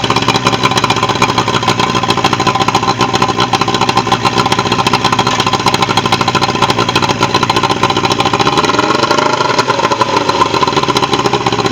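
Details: Pontoon boat outboard after a bad starter fix: steady fast putter with an even beat, dipping briefly toward the end then recovering; runs smoothly with no knocks or misfires.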